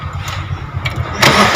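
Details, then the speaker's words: Maruti Suzuki Swift Dzire ZDi diesel knocking roughly for about 3 seconds on starting then stopping, caused by a swollen, cut O-ring at the fuel filter's fuel temperature sensor coupler. "तो देख सकते हैं जैसे हम लोग start करते हैं अजीबोगरीब साउंड आती है। चल तो मार, सेल्फ मार, चल। ये देख सकते हैं बस एक दो बार आवाज़ आती है"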